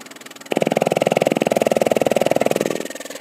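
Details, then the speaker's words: Siemens SIPART PS2 electropneumatic valve positioner, with the valve stroked manually by push buttons and quick-stroked by pressing opposite buttons. A rapid, even buzzing pulse of about four per second easing off. Normal valve stroke, moving freely. "you can see by pushing the button I was able to stroke the valve if I want to move the valve in the opposite direction and do a quicker I hit a button and then I hit the opposite button and it goes fast"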